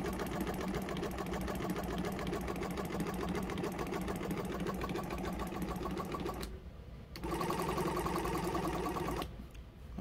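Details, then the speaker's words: Jumper-box air compressor whose motor had seized, recently freed but still tight, with a bad internal battery: fast, even clatter with a buzzy, strained edge and short dropouts, like a car misfiring. Motor running rough and tight, cause suspected. "it almost sounds like a car misfiring it definitely sounds like that motor is a bit tight"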